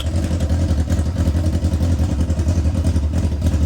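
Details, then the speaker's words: 1999 Yamaha R6 bought as non-runner, very loud open exhaust; idle uneven and lumpy, carbs within each pair close but way off bank to bank, needing adjustment; carburetor sync out of adjustment. "Yeah, sure enough, way off. These two are actually pretty good relative to each other. Pretty much dead on, but you can see bank to bank."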